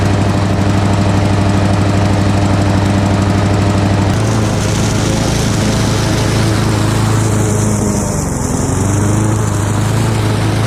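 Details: Lawn mower single-cylinder with carburetor swapped from another mower, governor spring suspected out of adjustment: low, uneven chugging pace never picking up to full revs; runs but lacks power, cause unconfirmed.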